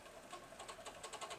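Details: Hitachi STD 2480 music centre cassette deck: quick fluttering rattle with light squeak over the fast-wind whir; transport mechanism noise in fast wind, cause unclear.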